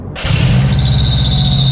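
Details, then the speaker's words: 2007 Subaru WRX STI, old and in poor shape, which also shakes at idle and hesitates: a sharp, steady high-pitched squeal rings over the idle right after startup and happens every time it starts. Cause unknown. "So, how is this car to drive? Well, in a word, terrible. Squeals every time you start it up."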